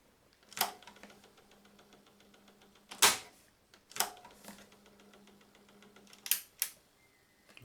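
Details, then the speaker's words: Sony LBT-D107 cassette deck transport knocking with or without a cassette, in either deck, louder in the left; owner suspects the mechanical autostop, hardened gears or the take-up drive. Sharp, uneven knocks every second or two over a faint hum: knocking in pause mode. "аппарате присутствует вотт такой вот стук с кассетой без кассеты в левом кармане в правом кармане неважно"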